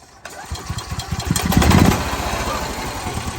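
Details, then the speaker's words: EZGO EFI gas golf cart with a single throttle-body injector and in-tank pump: the single cylinder putters unevenly, bogging with no power, and runs better when the intake is pinched. Lean from a clogged fuel pump and injector; planned fix is replacing the sending unit. "or if I pinch this it runs better which tells me it's getting too much oxygen excuse me it's getting uh too much air not enough gas"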